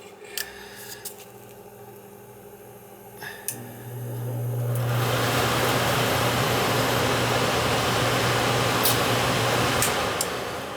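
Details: Trane gas furnace blower, jumped out (green fan, red) after rewiring: a few clicks, then a quick spin-up to a steady, even whoosh with a low hum, no scraping or wobble. Normal blower operation.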